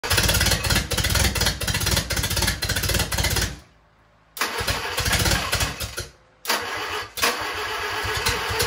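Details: 1945 Willys MB L134 flathead, first start after a machine shop repaired the head stud threads (bad helicoils, coolant weeping), oil filter temporarily bypassed; rough, loud running that cuts out twice and catches again, oil spraying from the open return line hole, but it runs.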